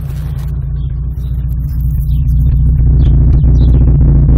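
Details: Rover 200 BRM engine running with a deep thrum pulsing about 220 times a minute and a slightly uneven beat; a slight misfire whose cause is not yet known.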